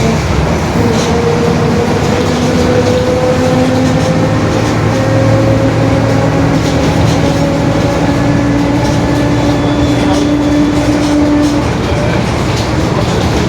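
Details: 2021 Marcopolo Torino S bus on Mercedes-Benz OF-1721 BlueTec 5 chassis, onboard while driving: drawn-out mid-pitched hum rising and falling with road speed under road and engine noise; growling differential.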